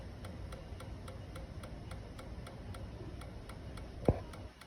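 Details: 2012 Kawasaki Ninja 650 no-start, no power: faint quick even ticking about three a second over quiet background with no cranking; clicking no start, cause unclear.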